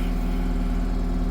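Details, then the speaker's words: 1988 Atlas 1404 M excavator diesel, about 11,000 hours, after adding air-system alcohol: a steady, even low diesel rumble with no misses or stumbles, idling smoothly. The owner notes a strange hydraulic oil level and an oil leak of unknown source. "Well, she doesn't sound bad, but I've noticed that my oil level on the hydraulics"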